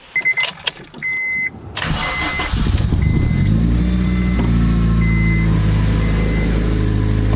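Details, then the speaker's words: Acura RSX at idle after a test drive: a few starter chirps, then steady even idle; the earlier loud whirring/grinding main-shaft bearing sound from the gearbox is gone. "Normally it would be like this whirring, grinding sound coming from like the transmission area. And it was pretty loud, and you could hear it when you're driving too. Now it's all better, I guess."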